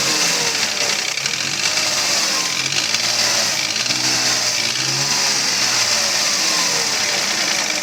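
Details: Mercedes ML320, M112 3.2 L engine at idle: steady hollow knocking tied to engine speed; piston slap from pistons rocking in scored cylinder bores, a common M112/M113 fault, fix is sleeving the cylinders.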